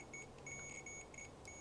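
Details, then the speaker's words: Multimeter set to continuity mode to check ignition points on an antique Briggs & Stratton engine of a homemade mini tractor: clean high-pitched beeps in short on-off bursts; multimeter continuity beep. "so let's get our meter here and to set our meter to the beep mode continuity mode and it should"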